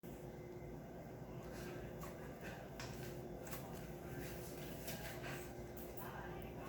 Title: Rockshox recon clicking noise